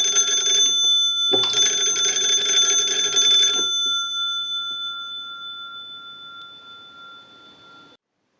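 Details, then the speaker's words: Wooden wall 317A crank telephone after repair and conversion (keypad added in the battery box), final checkout: the magneto is cranked, giving two loud bursts of fast, bright ringing with a clean fade, working properly. "okay now what we want to do is crank the magneto and ring the bells"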